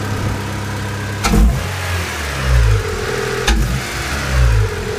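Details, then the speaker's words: Honda D15B/D-series engine after the timing was set: smooth idle with repeated quick throttle blips that rise and fall cleanly without hesitation. Normal throttle response. "oh yeah it's got the response it needs"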